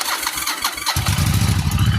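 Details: 1996 Yamaha Virago 1100 V-twin, just fitted with a battery, started on choke and a little rev: runs with an uneven, lumpy, sputtering beat; fuel leaking, owner suspects a busted gas line.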